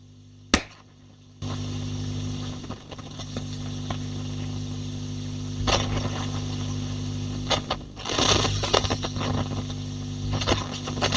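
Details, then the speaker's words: Rift J20 valve amp with the power-scaling attenuator switched into circuit: steady mains hum jumps in level with scratchy crackles and rustling as the control turns; a control-circuit fault is suspected, control to be cleaned only. "You can hear we get quite a lot of rustling and crackling, changes in hum level. Something not quite going on there."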